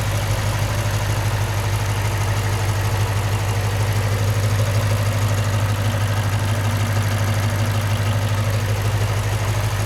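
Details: 2008 Lexus IS F V8 petrol, 50k miles, at steady idle: light, fast ticking from injectors and valvetrain, considered normal and common for this model.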